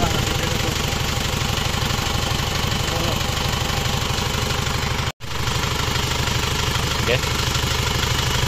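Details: Isuzu Panther double-cabin diesel idling after overhaul, after replacing the leaking copper injector nozzle ring that had caused a hissing leak; even clatter about three beats a second, no hiss or misses, healthy idle.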